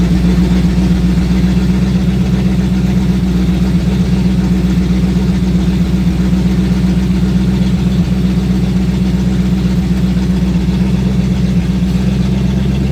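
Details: Sixties Ford Galaxie with a small-block V8 (289, possibly a 302), carbureted, after revival: steady burble, even pulses about 230 a minute, a touch fast and not settling; high idle, suspected timing too advanced, carburetor to be checked.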